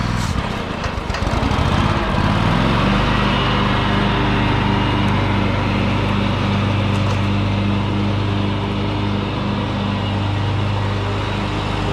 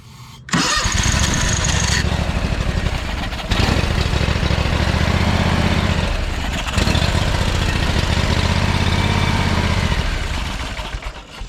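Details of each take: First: John Deere X500 Kawasaki twin after head replacement (valve guides dropped, bent pushrods); choke held halfway, owner suspects bad gas. Steady even two-cylinder beat, both cylinders firing, no misses; normal healthy running. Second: John Deere X500 with Kawasaki twin after head replacement: several two-to-three-second cranking bursts with fast, uneven chugging, never catching; cranks but won't start. Owner suspects really bad gas; later runs on both cylinders with choke held half on.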